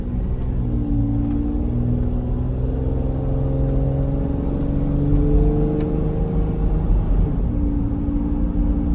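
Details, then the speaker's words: 2003 Toyota Tundra 2WD long bed, 3.4 L V6, almost 200,000 miles, in the cab while driving and accelerating: low booming drone rising with engine speed over road rumble; noticeable but not terrible drone, cause not confirmed. "know if the camera is picking that up but there is a drone in the truck it's not terrible but it is a drone of the truck"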